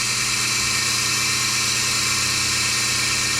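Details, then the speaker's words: Melasty single-cow milking machine vacuum pump after fluid got into it and its carbon plates (vanes) and muffler were cleaned and reassembled: smooth, steady high whir, no knocks or surging, holding pressure. Normal running. "now that sounds way better holding pressure just"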